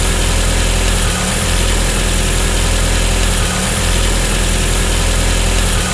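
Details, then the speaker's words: Engine running with its combined MAP/IAT sensor unplugged, so the ECU runs a limp-home program with fixed preset air temperature and pressure values. Low, uneven idle with a slow surge every couple of seconds; rough running in limp mode. "Y esto es porque cuando la computadora detecta ausencia de estas señales en este caso ejecuta un programa que se llama gohome donde adapta valores preestablecidos del aire una determinada temperatura fij fija y una presión fija que efectivamente no son las reales y actuales de este momento"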